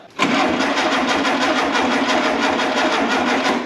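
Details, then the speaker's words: 1973 (possibly 1974) VW Super Beetle barn find, sitting 16–17 years, cranking on the key with throttle working only at the carburetor: steady even starter chugging, turns freely, no firing; pretty good compression, rusty distributor clips so likely no spark. "uh but from the sounds of it it's got pretty good compression"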